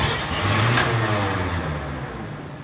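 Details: 1953 Chevrolet pickup, sat since Hurricane Katrina, converted to 12 volts with new fuel lines, started without choke: engine catches and fires, rough low rumble that settles; starts cleanly and runs, no faults heard.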